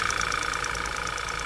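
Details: Audi 2.0 TFSI: fast, even ticking about nine per second over a steady idle and a high whine; unexplained tick at idle, cause suspected, not confirmed.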